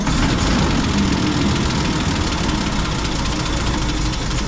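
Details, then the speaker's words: M8 Greyhound armored car engine idling roughly with an uneven, lumpy beat during distributor and ignition system troubleshooting; new coil, plug leads and spark plugs already tried, rotor found pointing between distributor poles as points open; rough idle. "so the engine's not idling too well so maybe let's see if we can understand if it's a caused by you problem"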